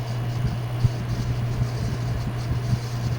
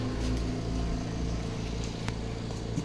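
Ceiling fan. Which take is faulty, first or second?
first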